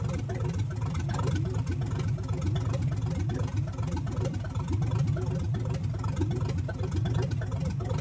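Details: 1970 Chevelle V8 from an engine full of dirt, first start after reassembly, timing set by hand without a light: deep idle with a lumpy uneven beat. Sounds like a miss, one cylinder down; cause unconfirmed.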